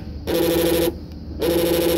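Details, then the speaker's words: 2007 Honda CR-V 2.4L passenger front door lock actuator: two buzzing bursts of about half a second each with no clean lock throw. The actuator has failed and is being replaced. "it's not working anymore."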